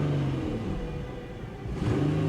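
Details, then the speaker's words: 1992 BMW 325ic at a Copart salvage auction, with battery issues and ABS lights on: after a blip of throttle the engine revs up and the rumble eases down slowly instead of dropping back. The idle hangs after revving; cause unclear. "throttle hangs a little bit yeah she's definitely hanging a little bit"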